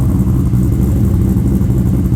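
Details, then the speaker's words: Holden VT Clubsport V8 after a new exhaust is fitted: deep, steady rumble rising and falling with light throttle blips, no rattles or leaks; much louder than the previously quiet exhaust, healthy. "that's how better she's not a qu Mouse anymore"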